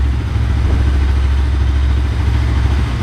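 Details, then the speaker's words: Bajaj NS200 single after head work fixing timing-chain tick: steady low idle with a loud silencer drone and no ticking or rattle on top; the engine runs healthy. "ये तो मेरा silencer है जो इतना तेज हल्ला करता रहता है बाकी बढ़िया हो गई है"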